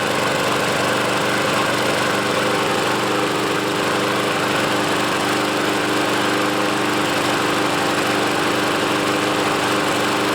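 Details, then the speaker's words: Troy-Bilt walk-behind mower runs loud and uneven, its beat never settling; rough running, and the owner suspects the carburetor needs cleaning again. "kind of sounds like the carburetor needs to be cleaned out again so I'll go ahead and do that"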